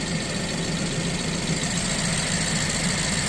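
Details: BMW E87 120i with a misfire, four coils already replaced, smoking when bought: uneven, lumpy idle with an irregular low thump, a rough idle whose cause is not pinned down.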